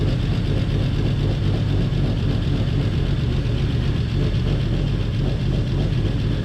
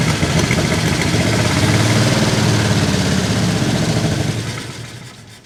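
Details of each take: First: 1949 Chevy Fleetline six-cylinder, revived after sitting about 50 years, after freeing stuck lifters and bent pushrods, carburetor still leaky awaiting rebuild: low, steady idle with an even beat and no ticking or knocking; running smoothly, much improved. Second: 1949 Chevy Fleetline Deluxe six-cylinder, runs after sitting many years, side cover off, with stuck lifters, bent pushrods and a leaky carburetor: lumpy, uneven idle, now possibly hitting all six but still rough and missing at lower RPM.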